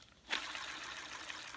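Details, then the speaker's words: Hoover Junior U2128 upright vacuum after refurbishment: smooth, even whirr holding steady with no grinding or rattle, brushroll bearings spinning freely. "Sounds really good as well. You can hear the bearings working. That's amazing. I love that."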